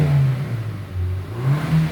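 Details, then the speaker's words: Korean vehicle after its engine was re-replaced with genuine parts; the trouble was a non-genuine oil filter with a pinched O-ring. On the test drive it pulls up through the revs with a smooth, steady drone and no knocks, rattles or whine. Healthy. "순정품으로 엔진을 재교환 후 시운전시 이상 없으므 잘 출구하고 가끔씩 전화로 상태 모니터링을 하고 있어요."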